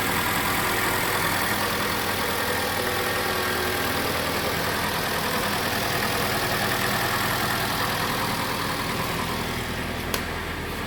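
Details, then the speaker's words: Mitsubishi Lancer X 2.0 CVT, cold idle after repair, with the alternator sent to a contractor and the injectors cleaned: steady, even idle, and the alternator belt squeal that had appeared only when cold is gone. "всем машинка работает ровно и по поводу песка ремня звука нету проявляться он на холодную час его нету получаются мы победили"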